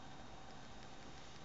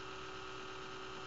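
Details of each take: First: Desktop computer after the startup buzzing stops: quiet steady whoosh with a faint even hum and no buzz or rattle; fans running normally, fairly quiet for a powerful computer. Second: Desktop computer at morning startup: steady low buzz with a fixed tone droning evenly, persisting even when the fan is stopped; noisy 80mm fan later found to be the cause and replaced, ending the buzzing.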